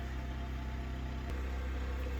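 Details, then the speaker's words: Portable generator outside powering house circuits through a new inlet box and interlock, heard from indoors: muffled, steady, even low drone through the walls with no surging or misses, running normally under household load with lights and fridge on. "Alright, we can hear the generator outside. We're in this room, and we got lights. Everything's on and working that we want on."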